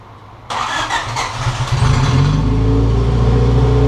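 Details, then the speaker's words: Turbocharged B20 VTEC swapped into a 1992-1995 Honda Civic Si, first start after reassembly with a welded cracked downpipe and intercooler refitted: fires first try, steady even idle, smooth low rumble, no misses or knocks; runs really well, clutch not yet bled. "Sounds like it's running really well."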